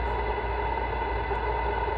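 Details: Icom IC-7100 transceiver tuned to low HF harmonics of about 700 kHz: a steady buzzy tone over the receiver hiss, worse with volume up, from the PWM audio power amplifier; replacing it with a linear amp fixes it.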